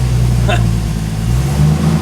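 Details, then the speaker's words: Freshly rebuilt Jeep 4.0 straight-six, first start, flat-tappet cam break-in on high-zinc oil, held near 2200 rpm (1800–2200 range), good oil pressure: smooth, steady raised-speed note, no ticking or misfire; healthy. "keep your rpms here between 1800 2200 that's about 2200 there"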